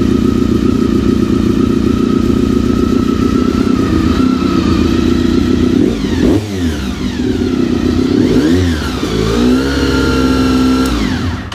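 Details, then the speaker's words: Honda RC45 RVF750, half warm, coolant refilled, after spark plug replacement that cured a no-start: starts on the button with no throttle, smooth even idle, crisp throttle blips dropping back cleanly; healthy. "perfect really satisfying having her cough and shoot flames and not been able to start at all and now she just fires right up just as she should be"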